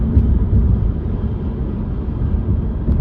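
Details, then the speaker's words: Alfa Romeo Giulia Veloce driven over small road bumps after a $10 sunroof-rattle fix (a cut piece of power cord used as trim on the sunroof metal edge): steady low road rumble with a couple of soft thumps, no rattle or buzz from the roof. "I'm hitting like the little bumps in the road. Nothing. No rattles."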